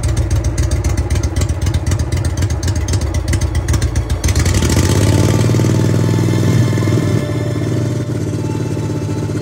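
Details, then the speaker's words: Trav-L-Vac 300 gas-powered utility box vacuum after new filters were fitted, started using the choke and throttle with the hose attached. Rapid cranking for about four seconds, then it catches and runs smoothly and steadily. A healthy normal start. "Runs pretty good though. And this is the air outgoing. Idle right now, so that's air outgoing out of the blower."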